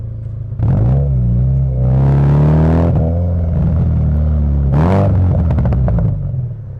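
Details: Subaru Legacy with an aftermarket exhaust, after replacing a gasket that had blown out 3 years earlier and leaked: deep, even rumble through two clean throttle blips, no ticking or puffing; exhaust sealed and healthy.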